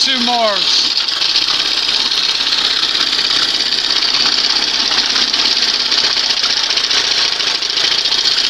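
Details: 1971 Johnson 20 HP two-stroke outboard after a carb swap, warming up: busy, even buzz at steady revs without misses or surging; runs better, sounds better, much quieter.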